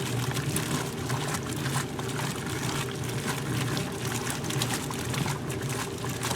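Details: 1978 Maytag A408S (three bath towels) and 1989 A482 (two pairs of heavy pants), Warm/Cold Regular 8-minute wash: steady back-and-forth churn with sloshing water, no knocks or scraping; normal agitation with loads turning over.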